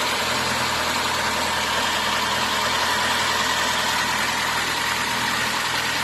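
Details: VAZ 2115 engine after repair of piston knock: cylinder block bored, new pistons and rings fitted; quiet, steady, even idle with no tapping or knocking; normal idle.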